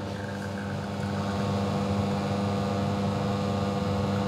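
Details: Serviced custom La Marzocco Linea Mini, no pre-infusion, pulling an espresso after test shots (43 g in 26 s): even low vibrating pump hum with steady tone, no rattling or surging; pump running normally.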